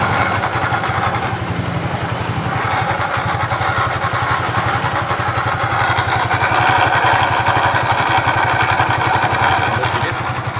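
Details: Suzuki Nex scooter on stand: rough uneven knocking rattle from CVT, different when rear wheel spins or not; traced to worn bearing.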